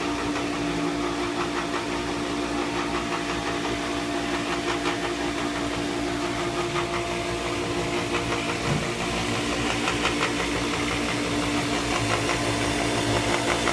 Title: Pentair Whisperflo still noisy after bearings replaced.